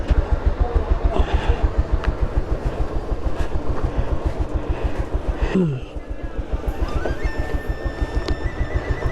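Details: Bajaj Pulsar 150 single-cylinder, warm, at idle: uneven thumping idle that sags before catching again, rpm dropping very low; owner attributes it to a loose timing chain, adjuster bolt fitted improperly.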